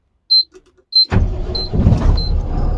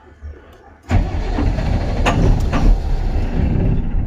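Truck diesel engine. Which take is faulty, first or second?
second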